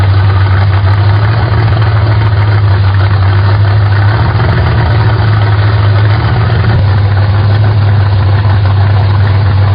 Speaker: Fire the car up and see where it wants to idle. Of course, I'm going to turn that in a couple turns, turn and a half or so, just to make sure that it'll idle once I fire it up and I have some adjustment.